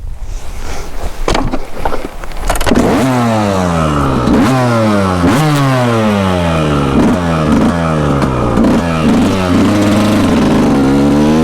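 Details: Refreshed 1999 Kawasaki KX125 two-stroke, stock suspension, ridden: crisp revving up and dropping off through the gears, clean pull into the power band, no misfire or rattle; healthy.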